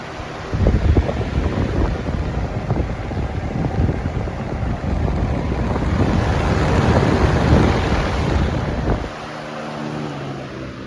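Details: Lasko Weather-shield box fan, 2018 model, 1 amp, 60 Hz, after one year of ownership, on high speed: a steady even rush of air with a low rumble and no knocks or rattles. Normal running.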